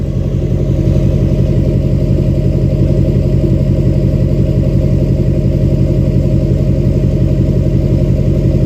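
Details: 2006 Chevy Silverado LBZ Duramax diesel, DSP5 tune (tunes 2 and 4 give ~10% vane position for rumble), new 5-in exhaust with minimal Diamond Eye muffler: deep even rumble about three pulses per second, no knocks or misses; normal idle.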